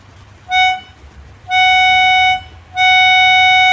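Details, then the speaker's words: Melodica (pianika) blown through the hose with no key pressed; same clear steady note sounds each time; a key valve is stuck open so the reed sounds unpressed. "kalau kerusakan seperti ini biasanya ee ada katup yang terbuka ya salah satu katup di not-notnya ini ada yang terbuka"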